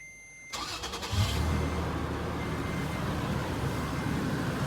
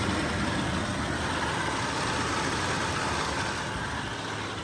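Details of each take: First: 2008 Toyota FJ Cruiser after replacing idler and tensioner pulley bearings: engine cranks and catches, then settles into a steady, even idle with no high-pitched whine or squeal from the pulleys; much quieter than before. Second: 2008 FJ Cruiser idling with a thin, steady high-pitched whine from the idler pulley bearing, typical after deep water or mud gets in.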